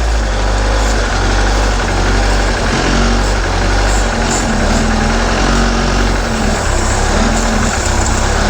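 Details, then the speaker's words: 1976 MerCruiser 120hp sterndrive in a Starcraft boat during winterizing, revs raised slightly above idle while fogging oil is fed into the intake: steady, even drone with no misses or stumbles; running smoothly. "we're going to take the RPMs up just a touch higher so it can drink some more of"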